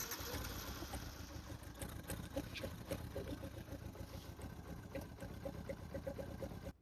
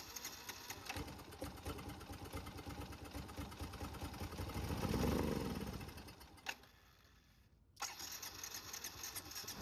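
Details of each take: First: Yamaha Byson carburetor motorcycle after carb repair, warming up 10–15 minutes on flush oil later found contaminated with fuel: small single runs at a steady idle with an even putter, no misfires or knocks; normal running. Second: Carbureted Yamaha motorcycle with leaking carburetor flooding fuel into air box and crankcase oil: starter churns heavy and wet with labored swell then dies, like liquid in the cylinder; flooded engine.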